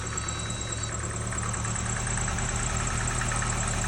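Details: 2006 Hyundai Getz with no-crank complaint, started via power probe at starter relay, settles into steady even idle with smooth low rumble, no misses; runs normally, starter not at fault.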